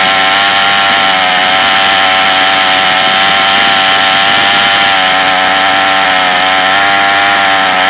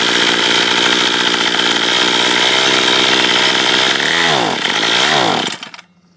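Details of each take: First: Troy-Bilt TB32EC two-stroke trimmer at sea level screams at full throttle. Its high-speed mixture screw is turned fully in, then backed out for maximum sounding power, causing slight pitch shifts. The trimmer bogs with the choke open. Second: Troy-Bilt TB32EC two-stroke trimmer bogs when given gas at the third (open choke) position: uneven scream, pitch sags and surges, then dies; mis-set carburetor, possibly set for higher altitude, first fix to try is turning the adjustment screw counterclockwise.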